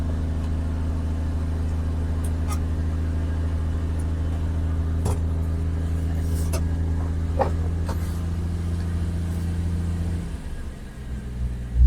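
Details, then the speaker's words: AMC wagon engine idling while warming up after the correct radiator was fitted: even, steady low hum with no knocks, ticks or stumbles, running smooth like a sewing machine until shut off. "See guys, she runs like a little sewing machine. I'll tell you that much."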